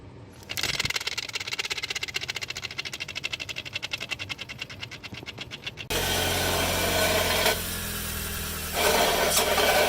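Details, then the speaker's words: Car alternator with internal bearings worn from age and use: a rapid, even ticking about four a second, then a constant whirring drone with a low hum as the pulley turns; damaged alternator bearings. "Ya con el tiempo y con el uso, las partes internas se suelen desgastar y escucharse un ruido cuando gira la polea. Si los baleros están dañados, al momento de funcionar se podría escuchar algo así."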